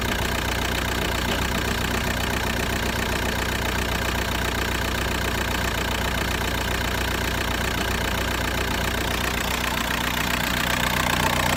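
Diesel idling loud and uneven, a lumpy clatter repeating a couple of times a second over a heavy rumble; rough, shaking idle, cause unclear.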